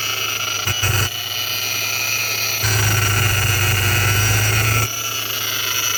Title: Vortech V3 Si Noise (bad bearing)